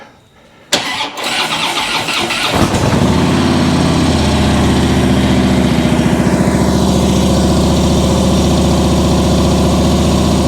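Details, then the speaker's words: 2015 Harley-Davidson Ultra Limited Low Twin Cam, first start after an O-ring fix for oil puking: a brief crank, then it catches and settles into a steady loping V-twin idle of about 210 beats a minute without misses; normal start and idle. "Well, we're ready now to start the bike up. I'm going to come over here to start it so that I can turn the radio off or mute it."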